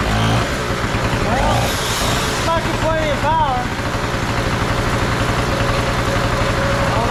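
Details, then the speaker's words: Trash-found Harbor Freight Tailgater two-stroke generator after carburetor bowl cleaning, buzzing at a fast, even popping beat, loud but steady with no misses; running properly. "Yeah, it's kind of loud, but hey, if you're in an ice storm or a power outage, hey, you ain't gonna hear it outside while you're in there watching TV, when everybody else is sitting in the dark."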